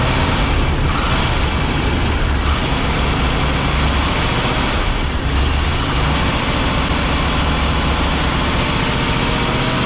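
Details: 1987 Class A Coachmen motorhome gas engine just started cold after pumping the pedal: loud, rough, uneven note with revs surging on throttle and no settled idle, since the automatic choke's fast idle isn't working; hard cold start.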